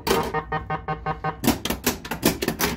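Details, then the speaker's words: Gottlieb Countdown pinball with Pascal's Flippp P1-X4 3-tone sound board replacing the original sound board: quick run of about ten bright, evenly spaced, clean chime strikes for the thousands bonus; working normally. "that first time hearing the thousands bonus beautiful"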